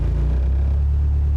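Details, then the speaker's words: Volvo S40 with Holset HX40 turbo, rewired to battery before the Speeduino ECU fit: not in gear, starts straight away and settles into a deep, steady, even rumble with no misses or knocks; healthy start. "make sure it's not in gear and we have lights and it fires up"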